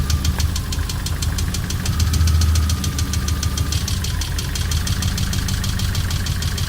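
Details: VAZ 2112 with 16-valve 124 engine, 200,000 km, hot idle (no knock when cold), oil pressure 2 at idle, hydraulic lifters and oil replaced without effect, cylinder two coil nearly dead: sharp metallic knock about five times a second; internal engine knock.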